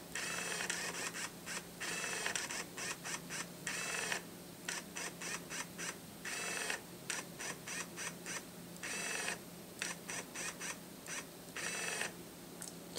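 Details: Nikon SB600 speedlite zoom head, about 33–34 dB measured, in a noise comparison with Shanny SN600N, SB700 and Atura flashes: short quiet buzzy motor bursts over a low steady hum as the head zooms in and out; normal zoom motor noise.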